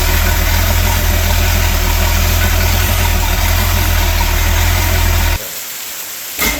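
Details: Sea Ray boat with a MerCruiser Chevy 350 5.7 L 260 hp V8 after a power-steering cooler leak check, smooth even low idle rumble with no knocks or misses, then it cuts out; healthy and quiet.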